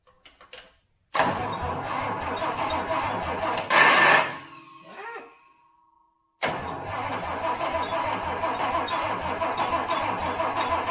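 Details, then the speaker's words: Project Toyota FJ40 Land Cruiser engine, never heard running, fuel with added two-stroke oil and a spray into the intake, coil just hooked up. Two long bursts of steady cranking with no firing. Owner suspects corroded distributor points or incorrect timing. "all right nothing yet um we could check for spark I assumed we had some spark but the uh there's a good chance to distributor points might be a little corroded"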